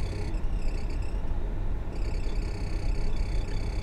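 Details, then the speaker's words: 2007 VW T5 Transporter heater blower after heater blower resistor replacement: fan rushing steadily with thin squeaks that grow worse from speed 1 to 4; blower works but squeaks, owner unsure why. "three even squeakier number four now why is it squeaky well it's working but it's squeaking"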